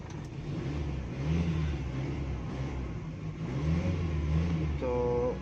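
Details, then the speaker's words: Car converted from petrol to CNG, after fixing a missing issue on gas, petrol run out and switched to CNG: engine revs and settles with smooth even surges, no stumble or skipped beats; normal running on CNG. "तो यह हमारी गाड़ी gas पर सभी"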